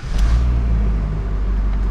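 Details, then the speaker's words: Ford F-250 6.7 Powerstroke diesel after engine swap, backing off the lift: deep, even rumble pulling away smoothly with no knock, rattle or miss; runs like new. "so we'll uh back I mean it sounds so smooth it sounds like a freaking brand new truck honestly it's crazy"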